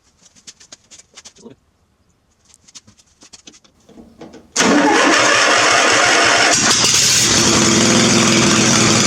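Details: Murray riding mower small engine starts at once on gas dripped into the old dirty carburetor after seat safety switch removed; catches quickly and settles into a steady, even run with no misses or knocks. Normal start and run.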